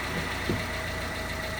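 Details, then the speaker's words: Honda Civic manual at idle with the clutch released: a thin steady whine over the engine hum that goes away with the clutch pressed; suspected transmission output shaft bearing, not confirmed. The engine also has a rod knock. "I'm going to press the clutch in now I'm going to release the clutch and you can hear that bearing"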